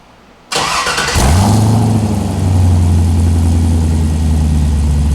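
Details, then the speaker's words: Newly delivered car (hood latch and driver's window need adjusting): a brief crank, then it catches at once and settles into a smooth, deep, even idle with no knocks or misses. It sounds real good; normal idle. "She sounds real good."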